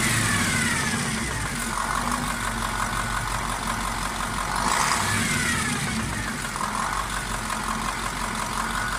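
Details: KamAZ 740.13 diesel rising and falling through revs: rough, dull knock located near cylinder 8, quieter but not gone with its injector line loosened; scoring found on the cylinder 8 liner, piston knock.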